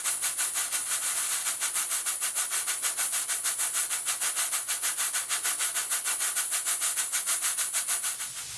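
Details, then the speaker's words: Steam pump built by a friend, running on steam: crisp, evenly spaced chuffs about three per second, like a small locomotive; the valve events are very even and the pump is healthy. "It sounds like a locomotive. It does, yeah. With very even valve events."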